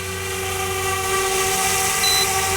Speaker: Now, do you hear that beeping? That means you're at 50% power remaining.